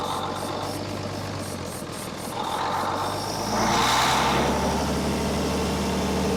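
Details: Military deuce-and-a-half diesel truck. Rough clatter at about four beats a second that surges up only while fed ether starting fluid. Fuel isn't reaching the injectors; a fuel pump problem is suspected.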